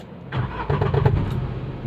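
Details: Renault Kwid making a noise on every start: crank and catch, then a rough, unevenly pulsing low rumble. Checked on a lift, the mechanic links it to the silencer (exhaust) fitting, though his explanation is unclear. Abnormal start-up noise.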